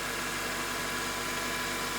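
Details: 2003 Honda Accord, K-series engine, high mileage, idle after replacing the bad drive belt tensioner and the belt, which was coming apart. Short steady idle hum, no belt chirp or squeal, no tensioner rattle; smooth, healthy.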